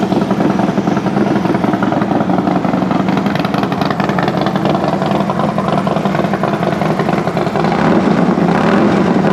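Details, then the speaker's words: Harley-Davidson FXD35 V-twin after engine rebuild with Thunderheader exhaust, first startup: loping, even idle with deep exhaust note; brief valvetrain noise at the very start despite raised oil pressure, quickly gone. Normal idle. "all right well first startup sounds pretty good obviously uh I don't know if you can hear it through my microphone but even with cranking the oil pressure up you do get a little bit of valve train noise right there at the very beginning but that real quickly went away so that's good"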